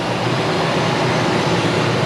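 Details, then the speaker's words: Ford F-250 V8 after new spark plugs, plug wires and radiator hoses: steady, even idle with no shaking, stumble or missed beats; it is running a lot better, a normal idle. "Other than that, it sounds good. It sounds great."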